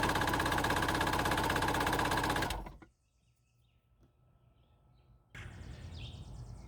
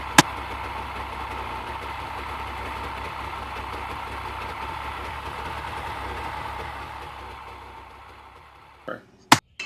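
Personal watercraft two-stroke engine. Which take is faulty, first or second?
first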